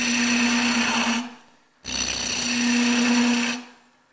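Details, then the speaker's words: Wood lathe turning a long, thin goblet stem: cutting passes carry a steady buzzing hum that breaks off between cuts, chatter from tool pressure out at the end. "so now we're going to you can feel that sound of chatter it's because we're supporting quite a bit of pressure out at the end here for the longest one I'm using something called a steady rest"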